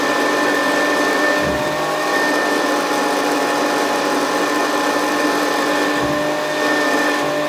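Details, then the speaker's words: Very early Hoover Senior 652 Deluxe upright vacuum cleaner, first switch-on after unboxing, likely needs a new belt: motor runs steady with a high, slightly rough whine over the airflow; the front bearing behind the fan has play. Worn motor bearing. "well that doesn't sound quite right does it just check check the phone how much play there is there that rare it sorry the front bearing with the one behind the fan needs replacing"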